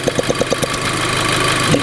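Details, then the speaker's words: VW Golf GTI at idle after cold start: hiss with quick regular ticking, about nine per second, as air is sucked in at EVAP purge valve port; stops when finger covers it; vacuum leak at purge valve port. "can hear it trying to suck air in. And when I put my finger over it, it stops. Okay, so that I think that's the purge valve."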